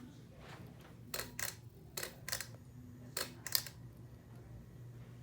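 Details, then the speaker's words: 52-inch Hampton Bay Carriage House II ceiling fan on medium speed, otherwise quiet, with a steady low motor buzz and a few clicks. The buzz occurs every time on medium but not on high. "it makes this buzzing it makes this noise every time it's in medium that's pretty quiet except for that buzzing noise"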